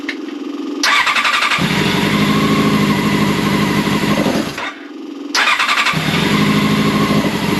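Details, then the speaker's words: Old Honda CBR600 track bike on choke: catches, runs rough and uneven for a few seconds, dies on throttle, then restarts; won't hold idle, carbs to be removed and cleaned as idle jets are likely gummed up. "so the carb's gonna have to come off and be cleaned out because obviously the idols whatever they're going to be gummed up"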